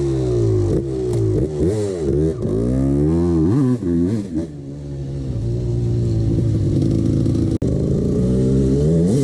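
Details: 1989 Honda CR250 two-stroke dirt bike revving up and down: dry metallic clatter riding on the exhaust note, piston slap that the owner ignored.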